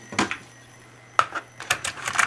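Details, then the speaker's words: Tandberg TCD310 cassette deck, cover off: sharp clack as the play solenoid engages, then light mechanical clicks with no motor or tape hum; the capstan does not spin because the drive belt came loose. "you heard the solenoid and that's there's no spin there's no spin because the belt just came loose"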